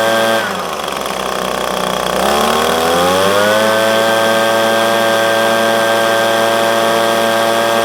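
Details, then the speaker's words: Echo PB250LN handheld blower, already warm, full throttle after air filter, fuel filter and spark plug replacement to cure bogging at operating temperature: starts, dips briefly, then climbs to a clean steady high wail, no bogging or surging. "after doing the air filter the fuel filter and the spark plug I have alleviated my problem I actually ran it for about 10 minutes just to make sure before I recorded that"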